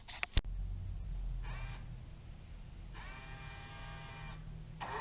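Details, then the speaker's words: 2002 Ford F150 Harley-Davidson power side mirror after cleaning and greasing the mirror switch contacts: short, smooth whirring runs of one to one and a half seconds, steady pitch, no clicking or grinding; normal mirror motor operation. "now that sounds much better"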